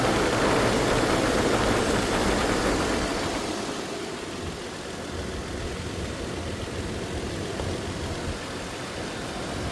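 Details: Car engine idling after alternator pulley bearing noise was fixed: steady even hum with no whine or chirp from the belt drive.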